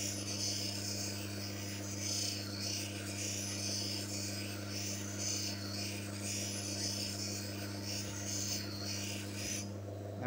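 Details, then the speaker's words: Manual lens faceting machine: even rhythmic rasping strokes about every 1.5 seconds over a low steady hum, extra bevel turns after the lens failed to fit the frame; normal bevel grinding. "Belum, masih belum muat. Itu berarti kita perlu memiringkannya sedikit lagi. Sekitar 15 putaran lagi."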